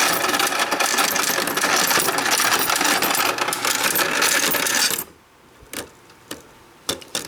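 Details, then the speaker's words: Royal Sovereign FS-44P coin sorter fed coins gradually into tubes with preformed wrappers: a steady busy rattle of coins, then it stops with a few light clicks, finishing normally with an accurate count of 4410. "So let me hit the start button, start feeding them in. Just going right into the tubes with the wrappers."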